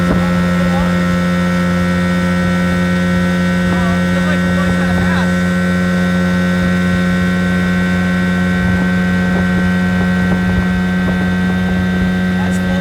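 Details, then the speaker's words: 1980 Evinrude 15 outboard after carb rebuild, new water pump/impeller and fuel pump rebuild, under way after its first hole shot: strong steady drone at constant revs with no misses, surges or knocks; pulls cleanly. "Sounds good. Sounds kind of scary, too."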